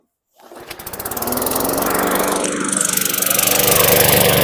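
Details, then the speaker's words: 2012 Weed Eater push mower, 550E series 140cc, a suspected flood victim: catches and settles into a fast, slightly blubbery chug, running rich. Owner suspects oil overfill burning; milky oil later showed water in it. "running a little rich I thought it might be suffocating still running rich think I know what it is it's uh from the overfill on the oil it's burning oil"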